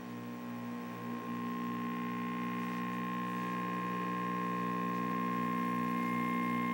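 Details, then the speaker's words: Zenith N23270-6 tube B&W portable TV fed from a Sencore DC62 signal generator after tube warm-up: steady harsh fixed-pitch buzz under speaker audio; detector buzz, can't be fully eliminated but reducible with the rear buzz control. "all right in here in there that there is buzz now i've been told that these detectors in this this will not able to be totally eliminated"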